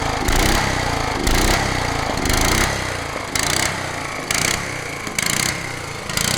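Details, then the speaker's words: Honda HRH 536 HXE professional lawn mower running rough on choke, carburettor needing cleaning: loud metallic clank about once a second when engaging the blade clutch; suspected to come from the blade clutch, not confirmed. "quand même un sacré bruit métallique on dirait pas la pielle quand même je vais voir au niveau de l'embrayage du coup je pense que ça ça doit venir de l'embrayage de l'â ce bruit là"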